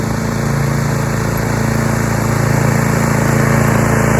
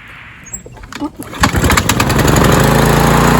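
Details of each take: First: Roadside-found Troy-Bilt TB230 self-propelled lawn mower (Briggs & Stratton) after tune-up and cleaning years of dirt and rusted metal from under the deck, cutting grass: steady, even hum holding speed, no surging, misses or knocking; normal running under load. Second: Troy-Bilt TB230 self-propelled mower, Briggs & Stratton engine, after valve job and new recoil: fires after a few sputters in one pull, climbs to a high, steady, busy drone faster than other mowers; engine RPM suspected set too high.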